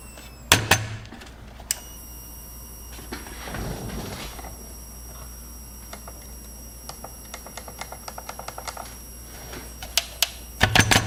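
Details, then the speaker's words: Brand-new no-name Coolmax 500 W power supply under load in a PC test, heatsink near 78°C: scattered sharp clicks and crackling over faint hum as it fails, smells burnt, and its switch melts. "do you hear the crackling oh it's powering the computer back on it's crackling it's probably so bad it smells very bad in here it's crackling"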